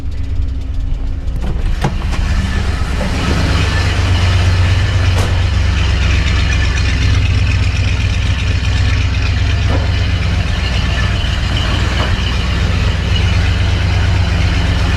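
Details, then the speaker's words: 1966 Chrysler 300 with 383 V8 on a newly installed Holley Sniper EFI, after swapping the reversed fuel pump wires restored fuel pressure: starts right up, then a deep, even V8 idle with a steady beat; runs better than on the old carburetor. "Man, it seems to be running pretty good too. Way better than it did before on the regular car."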